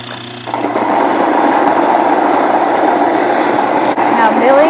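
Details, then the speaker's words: Nutrimill Harvest stone grain mill, stones closed while running to about the 7 o'clock fine-flour setting: a steady mill roar with a thin squeak on top, which marks the fine setting; it grinds normally, producing fine bread flour. "milling, it's going to sound pretty much the same. And when it ends, it still has that bit of a squeaky sound."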